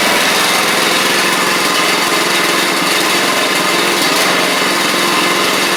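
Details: Troy-Bilt Pony riding mower, first start of the replacement engine on fresh gas after the seized original was swapped out: loud, steady, even buzz at one speed, no misses, knocks or surging; runs properly, though it smoked out the garage.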